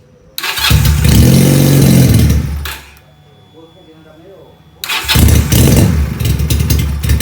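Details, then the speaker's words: Benelli PE250 FI single, which also often fouls spark plugs, starts and sits on a too-high, erratic idle and won't take throttle; sensors checked one by one, fault traced to a faulty MAP sensor. "Jadi seperti itu teman-teman ya, motor ini hidup cuman tidak mau digas ya. Jadi idle motor ini ngaco juga, terlalu tinggi ya."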